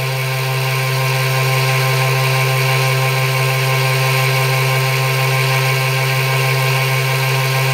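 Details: ZFM pulse motor at 36 V, 70–75° firing arc, aluminum rotor with neo magnets, near full speed: loud constant low buzz at one steady pitch with hiss above; normal high-speed run.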